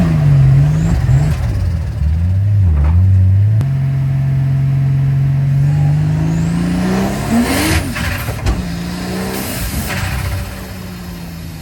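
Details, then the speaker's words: Infiniti G35 turbo drift car: revs climb, then abruptly chop and stutter repeatedly under throttle; with the boost controller turned fully up, it reaches about 1.2 bar and the boost cut activates. "mais vu que Jessie m'a vissé mon régulateur de pression turbo à fond, j'ai le boost cut qui s'active."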